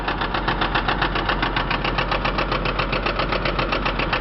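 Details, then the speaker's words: Chrysler 300M at idle: sharp, regular metallic knock about four per second; internal engine knock, engine needs rebuild or replacement. "really all it needs besides the motor job is two front tires it runs well everything works on it so let's start it up you can hear the noise there"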